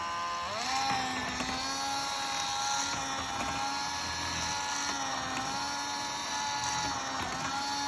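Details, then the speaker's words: Model railway turntable on simple DC power, run at higher speed: thin steady high whine with buzzy gear hum, small dips; noisier but working well. "It's obviously a bit noisier, but you can see it's working pretty well."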